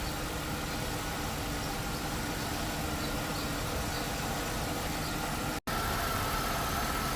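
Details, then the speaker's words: 2001 Chevrolet Impala 3800 V6 after ZZP upper intake manifold install: steady, even idle with no hiss or hunting, then clean pickup; new injector O-ring believed to have fixed the vacuum leak from a poorly seated injector, normal idle. "alright, so I think we're good. I think that new O-ring fixed that vacuum leak, or that, you know, fuel injector not seating correctly."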